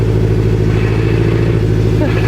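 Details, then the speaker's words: Turbo Scion FR-S with a new high-torque clutch, idling with clutch pedal out: deep steady idle with a fast, light metallic rattle running through it; normal, typical clutch chatter. "When you push the clutch and she rattles, it's like an addicting sound. It's really weird."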